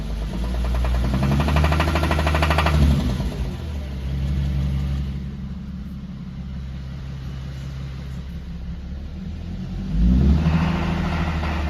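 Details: 2010 Infiniti G37 coupe, 7-speed automatic, light rapid pinging/knocking rattle over the low rumble while accelerating at 1500–2000 RPM, also at cold start; small oil leak, valve cover gaskets recently replaced.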